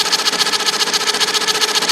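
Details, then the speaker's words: IBM Selectric II correcting typewriter: the motor hums with quick, even ticking, about seven a second, but nothing engages. The cracked center hub is slipping, spinning while the operational shaft stays still, after the machine froze when a key was hit. "So that hub is flipping. That hub is like this hub, and that crack just caused this to slip."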